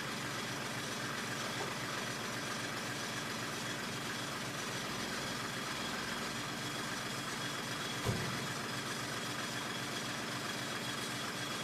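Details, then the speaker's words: 1995 Mercedes E300, cold engine: slow, uneven loping idle with one small clunk; idle speed too low, making it rough. "Idle is rough when cold. It's just too low. It's idling too low."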